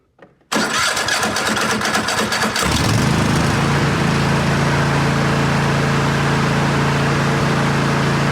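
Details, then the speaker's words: Cub Cadet LT46 XT1 Enduro Series lawn tractor twin engine, 23.1 hours, restarted after tune-up with new air filter, fuel filter, oil and filter and two spark plugs: brief crank, catches at once, steady even smooth idle; normal start and idle. "Tighten it up. And we're good to go. Verify that the motor starts up."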